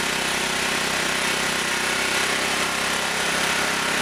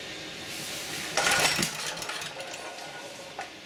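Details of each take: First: Auction-bought generator running after new spark plug and adjusting screw backed off: steady even buzz at constant speed, no misfires, knocks or surging; runs and generates, frequency to be checked for 60 cycles. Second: Auction-bought generator, choked: short cranking rasp ending in one sharp pop, no catch; backfire on a no-start.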